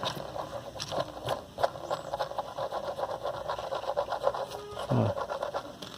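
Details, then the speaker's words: Ceiling fan with 6201 bearings seized by rust after water got inside, about one month old: gritty, uneven scraping and ticking as the rusted bearing is turned by hand; rough rusted ball bearing. "isso é conseqüência da da ferrugem deve estar agarrado assim ó agarrado"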